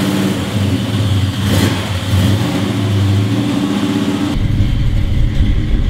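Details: 1970 Chevelle on its first test drive with Holley Terminator EFI replacing the 3310 carburetor. It pulls up from low revs with a smooth, rising drone and no hesitation. Throttle response is much crisper than with the carburetor, normal acceleration.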